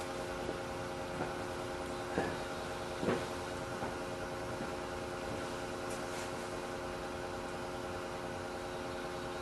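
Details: Electric 58 PSI fuel-injection pump for a 1976 Corvette RestoMod bench-tested on a separate battery during fuel line test: quiet even hum with light handling clicks, quiet likely because submerged in gasoline; normal operation.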